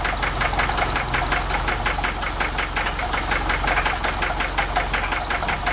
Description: We encountered some engine knock is it the lifters? The rod?